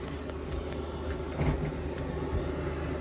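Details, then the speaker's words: VEVOR 8kW diesel heater running on high, drawing about 20° outside air and putting out 230° after a few minutes. Steady low rumble with an even roar and no surges or knocks; fuel pump audibly slows when turned down. Burning cleanly, running normally. "so again that's up on high so we got turn it down right here I know if you can see that or not you hear the fuel pump slow down as you as you turn it down"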